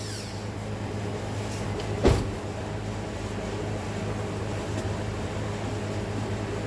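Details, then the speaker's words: Towed-in crank-no-start car with water-contaminated fuel, run on an external supply of gas, acetone and fuel treatment cleaner: steady low hum, firm start thump near two seconds, then even running without misfire. "It ran. Now again, I'm not gonna worry about that fuel that's leaking, that's water, and it's going to another bucket."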